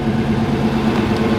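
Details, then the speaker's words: Fox-body Mustang V8 after reconnecting the injector plug left off during voltage testing: smooth, even burble with no misses or stumbles; all eight cylinders firing. "runs even smoother i know the thing is crazy when you have all eight cylinders firing"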